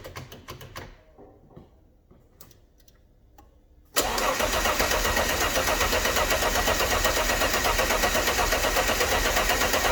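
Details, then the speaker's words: Alfa Romeo GTV V6 after restoration, engine harness disconnected to crank and circulate oil before first start: the starter spins the engine at an even four beats a second with no knocks or scrapes; normal cranking. "it all sounded okay when cranking so let's connect this back up again"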